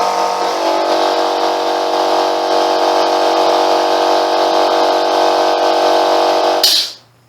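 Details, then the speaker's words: Free air compressor, repaired, previously stuck below 30 psi, now holding good pressure: loud even motor drone at steady pitch, then a clean cut-off; normal running. "so that all works now don't forget it wouldn't go above 30 psi when i got it so that's just sitting there now so let's blow a bit of air off blow a bit of dust off as well"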